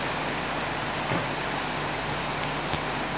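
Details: Electrolux 12 kg twin-tub washer whose spin-dryer only hummed; after repair, a steady low hum with an even rushing whirr and no stalling or labouring shows the spin motor turning freely and healthy.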